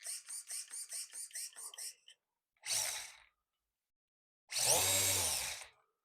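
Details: Brushless motor in a Team Durango touring car with a newly installed XC ESC E Series motor and ESC on a 6200 2S battery: a quick run of short ticks, then clean whirring bursts rising smoothly in pitch as the wheels spin; the motor spins up freely and healthily.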